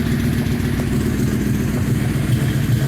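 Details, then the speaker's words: 2004 Yamaha Royal Star Venture 1300 V4 with Full Bore slip-on exhausts fitted: a deep, even idle burble with the earlier popping and pinging gone; the engine sounds healthy. "switched out the pipes with full bore pipes slip ones rather and now got the popping and the pinging out and they sound sweet"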